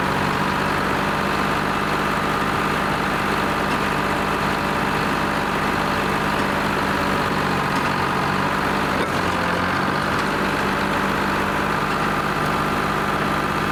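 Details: Lima 34 shovel at start-up after repairs (throttle, push-to-stop fuel shutoff), before greasing and digging: steady, even diesel idle with a smooth low drone and no knocks or stumbles; the engine runs sound.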